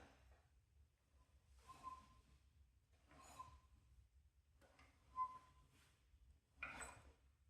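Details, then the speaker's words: 2012 Ducati Multistrada 1200, 72,000 km, rotated by hand in sixth gear, plugs out, after valve adjustment and timing belt refit: compression whooshes each followed by a light tap, apparently from the vertical cylinder; owner suspects piston-to-valve contact or bent valves. "you'll listen to this tapping sound so you can hear the compression like whooing noise but then you can hear that"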